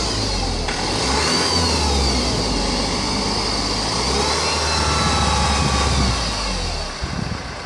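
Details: 2004 Honda 2.2 engine after timing chain job, idling then revving: thin high whine rising and falling with engine speed; source not pinned down.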